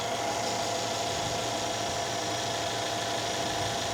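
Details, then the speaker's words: 2013 Mercedes S550 at a Copart salvage yard, check engine light on: steady, even idle hum with a constant light whine on top, no misses, knocks or shake; the engine sounds good. "Engine looks good, sounds good. It's really not shaking at all."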